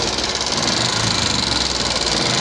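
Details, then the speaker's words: 2014 Yamaha Jupiter MX carburettor at idle: rapid even ticking likely from the cylinder head, seemingly not left, right or middle engine; mechanic suspects worn rocker arm, camshaft, bearings or loose valve clearance, not the piston. "Nah jadi masih kuat di daerah atas nih teman-teman, di bagian mesin atas."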